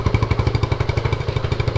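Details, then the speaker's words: 1979 Honda CT90 Trail 90, 90cc four-speed, first run in 26 years with auxiliary fuel tank: small thumps about twelve a second, slightly uneven and lumpy, rust blowing from exhaust, later dies. Rough running. "that fuel filter is going to be doing a lot of work hey sounds like a honda high performance exhaust"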